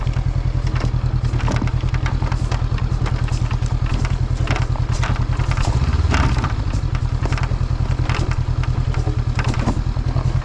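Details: Vehicle driving at road speed on a road in Norway, steady engine drone with a fast, uneven rattling clatter from the windshield, loose because a mounting screw was lost.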